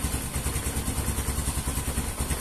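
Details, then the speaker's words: Yamaha Mio M3 scooter with fuel pump pressure gauge fitted, fuel filter already replaced, pressure about 40: low, lumpy idle with uneven pulses and loose clatter, close to dying and sometimes stalling; cause not confirmed. "Hai sambil kita jahit janome nah dia kadang mati-mati biarkan dulu stabil"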